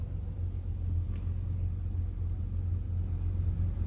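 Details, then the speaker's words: 1975 Plymouth Duster slant six after replacing a bent pushrod and setting valve lash, smooth steady idle with no ticking or misses; sounds far healthier, carb still needs adjusting. "Dude, that's mint, bro. That sounds like a healthy motor. I mean, it sounds way better."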